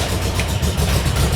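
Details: VW Kombi during restoration after dash install and rewiring; engine runs but deep, uneven, lumpy idle, not running its best; cause unknown.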